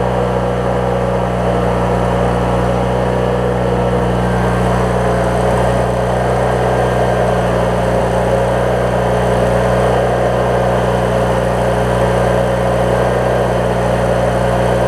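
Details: 20-year-old Craftsman mower with Briggs opposed twin, after drive belt replacement and starter/flywheel check: smooth steady speed with even low hum, no knocks or misses; normal running.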